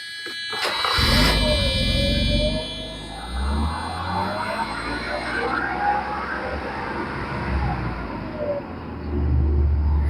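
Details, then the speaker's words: Mercedes 300SE that stumbles when warm despite new fuel pump, filter, injectors, regulator and ignition parts: cranks, catches and surges high on its own, revs hanging and wandering; owner suspects fuel accumulator or fuel distributor. "Now, as you could hear, that actually revved up."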